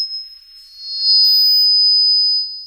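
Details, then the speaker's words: Luxury 6 analog mixer PA, mid level raised during a frequency sweep to find feedback: a pure piercing tone near 5 kHz swells in and holds steady, a classic acoustic feedback howl from too much mid gain. "Tes satu, dua. Jika ada umpan balik, frekuensi tersebut akan terus meningkat."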